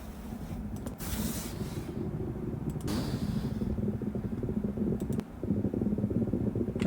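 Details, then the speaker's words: Parked Tesla: steady low buzzing hum with a crackly edge, recorded with phone on floor, louder closer to source; presented as a possible warning sign before a fire, not confirmed. "가까울수록 소리가 나죠 바닥에다가 핸드폰을 놓으시면 진동의 소리가 넘어오거든요 아무튼간 이런 소리가 나는 거예요"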